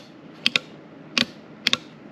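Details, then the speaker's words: Home-made sequential transmission controller on the Inferno truck build: big solid double clicks over a quiet hum as solenoids actuate for the illuminated gear selected; with the system off, the ECM controls the transmission. Normal solenoid clicking. "and then if you can hear it, you can hear the big solid clicks over there. The ECM would actually control solenoids that do nothing."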